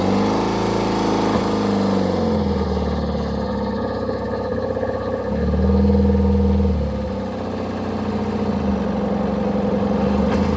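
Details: Kawasaki ZZR600 four-cylinder, just started on choke after no-start trouble: steady fast idle buzz, brief rise in revs mid-way then sags back; runs but unsettled, idle screw being adjusted.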